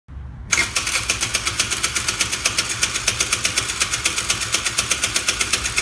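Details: 2011 Taotao ATM50 (Secret 63) scooter that stalled and won't restart, despite cleaned jets, other carb, new plug, spark, OK compression: fast even starter whirr about four beats a second, engine never fires; cranks but won't start.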